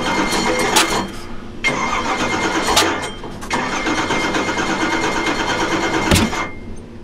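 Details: Newly built Ford 427 stroker V8 (Boss 351 block, MSD Pro Billet ignition, 93 octane) first fire on engine dyno: repeated cranking with rough uneven firing that catches and dies; hard starting, timing later rechecked at top dead center.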